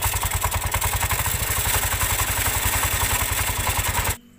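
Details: Yamaha Mio Sporty (2009–2010) scooter idling: harsh, uneven clatter and scraping from the CVT at about three per second. A loose crankshaft nut let the variator fan catch the cover.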